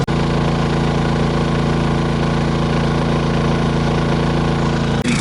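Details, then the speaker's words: Honda 2200 generator at 13.1 hours into an extended run powering an RV air conditioner: low, even drone with a steady pulse of about four beats per second, no surges or knocks; normal running under load. "see that the hours are at 13.1 hours running and this is it this is all the noise that it makes"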